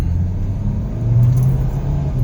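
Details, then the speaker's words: Hyundai Picanto on road test after throttle body cleaning, previously weak and struggling uphill; engine climbs smoothly toward 4,000 RPM, pulling steadily without stumble or misfire, power restored, normal acceleration. "Eh, sa tingin ko ngayon, easy lang sa kanya yung ET, kph, yan o. Ayun o. Oh, ha? Balik na yung takbo niya."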